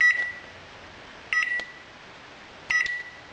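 Three short, clear high beeps about one and a third seconds apart in a quiet room: the controller's normal end-of-cycle signal.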